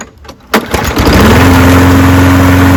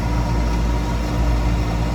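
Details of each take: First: Toro Recycler 22-inch mower with Briggs & Stratton engine, previously pulsating and running rough; after air filter replacement it fires at once and holds a smooth, even drone with no surging; problem solved. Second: Toro Recycler 22-inch mower with a Briggs & Stratton engine, reported pulsating and running rough: a steady but coarse, uneven pulsing low note. A badly clogged, unchanged air filter was found and is a likely cause.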